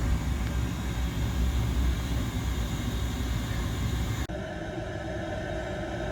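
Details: Oil boiler burner after its grinding pump was replaced with a new one. Steady, even roar of the burner firing with no grinding or rattle; running normally.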